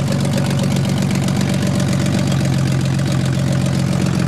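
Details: 1991 BMW 318i E30 with M50NV inline-six swap, cold start and warm-up: loud idle lurching and pulsing unevenly about twice a second; codes show bad crank sensor and bad O2 sensor, rough idle cause unconfirmed.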